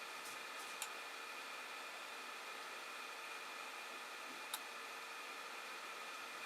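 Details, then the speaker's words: Creality Ender 5 Plus 3D printer, Z-axis bed moving down fast under G-code test after tightening nuts and bolts and fitting POM/Delrin TR8x4 lead screw nuts: faint even motor hum, light ticks, no lead screw squeak; normal after fix. "and as you see that's going down pretty fast because it's going that speed I would certainly expected to squeak here to go down more than that actually but no squeaking there"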